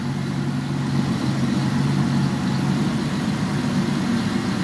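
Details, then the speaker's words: Petrol engine just after start-up following repair and coolant refill: smooth steady idle hum with no rattle or ticking, where timing chains previously rattled badly; normal idle. "let's fire this hog up oh my goodness that is so much better"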